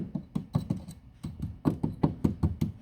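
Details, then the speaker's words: Toyota Auris SR180 sill checked for MOT welding: gentle little-hammer taps sound dull and low with no metallic ring, tender rust-weakened sill metal. "Sounds all tender on here."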